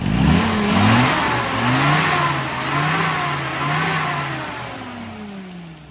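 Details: Small four-cylinder Mini after carburettor tuning, too-lean GX then M needle replaced with DZ needle plus extra airflow: revs up and down smoothly with clean pickup, no stumble or misfire; crisp and well fuelled.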